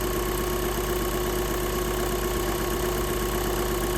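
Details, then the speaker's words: Skoda engine with client-reported cold-start knock, knock not reproduced; smooth, even idle with steady hum and no tapping; mechanic finds nothing wrong, plans a fully cold start next morning. "Ну нічого не бракує моторові. Роби та й робе."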